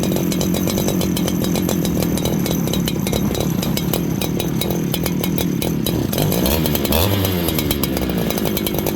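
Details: Farmertec 288 kit chainsaw, just after oil pump repair, before carb tuning: loud, rough, blubbering running with no settled idle, revs wandering and burbling; carburetor far too rich, won't idle.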